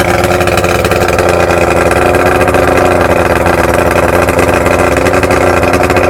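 Steady, even drone with a smooth, unbroken beat and no knocks or misses; this outboard is running cleanly and healthy.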